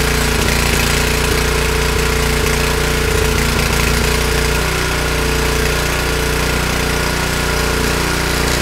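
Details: Honda snowblower engine after cleaning a plugged carburetor jet and fuel bowl (previously ran only on full choke, stalled otherwise): started on one pull and runs steadily with an even rapid putter, no stumbling or surging.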